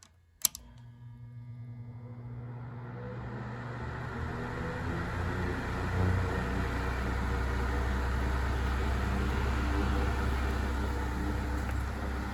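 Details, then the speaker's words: 1970s Sears (Lasko) 9-inch portable fan, model 453.8100, on high speed: soft, steady low whir swelling slightly, smooth with no rattle, the distinct late-70s Lasko whirring of a healthy motor, possibly a Sanyo. "it really sounds like a lasko fan it really has that distinct kind of uh like late 70s lasko whirring sound"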